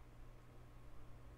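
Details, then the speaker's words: Carver TFM-45 amplifier powered on with no input before repair: big thump at power-on, then faint steady hum from both speakers, more pronounced on the left; idle hum fault. "definitely a big thump at power on and if you listen close you can hear the humming"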